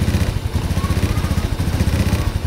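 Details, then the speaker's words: 2017–2018 Honda Scoopy (third generation) scooter: uneven lumpy low putts, stumbling and sputtering before catching, then dies when throttled; hard starting, won't stay running under throttle, cause not yet found. "Agak sulit, Guys, hidupnya. Ini agak sulit tuh, ya. Hidupnya tuh mbet-mberebet dulu, habis itu baru hidup."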